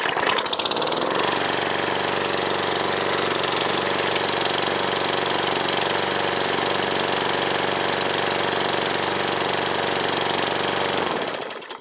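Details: Old Briggs & Stratton single-cylinder mower engine, bought second-hand and untried, crankcase oil well overfilled above the dipstick max mark, given a quick test fire: starts and runs steady and even with no knocks or misses, then cuts off cleanly.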